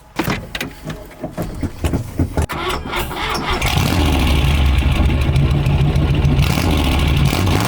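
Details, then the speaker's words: 1963 Buick LeSabre 4-door with an old 401 cubic inch V8 on straight pipes: it cranks, catches and settles into a loud, deep, even rumble, a normal, healthy start and run. "Give these straight pipes a listen. Yeah, there. That sounds nice. An old 401 cubic inch V8. They sound pretty good."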